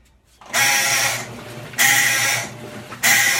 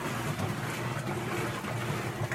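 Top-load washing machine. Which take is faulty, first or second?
first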